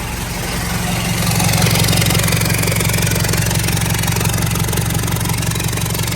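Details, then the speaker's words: Toyota Hilux LN106 diesel, first start in neutral after a glow plug, just fitted with a Holset HE200 turbo from a 3.2L QSB Cummins replacing the worn CT20: it catches and settles into a steady, even idle with a smooth low clatter; healthy. "So let's fire it up. It's gonna be real loud."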